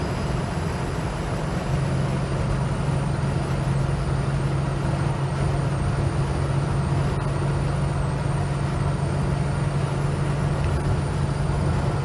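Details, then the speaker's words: Holden HK driving at highway speed, coming up to operating temperature with about 59 psi oil pressure, cool ambient: a steady deep drone with a constant low pitch under the road noise. Source unknown, not pinned down. "It's okay, now I'm warming up a bit, oil pressure's coming down. There, what the fuck is that noise?"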